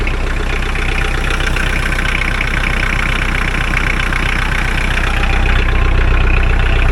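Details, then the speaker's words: Mahindra 4110 tractor diesel, after repair of an overheating-blown head gasket, coolant treatment added; test-driven 3–4 miles with no leaks. Steady, even clatter, no misses or knocks: running smoothly and healthy. "I'm cruising pretty good. Um, I drove for about 3 or 4 miles. Hasn't got up to halfway point yet, but so far she sounds good."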